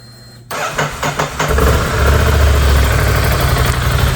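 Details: 2016 Ducati Scrambler bought from a total-loss insurance auction, being resurrected: a few cranking beats, then it catches and settles into a steady, even low idle with no knocks; healthy running.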